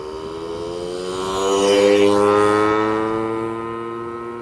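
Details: Yamaha PW50 two-stroke, revived after years in a shed, test ride: engine pulls up cleanly through the revs and eases back off, crisp and steady with no misfire; running healthy.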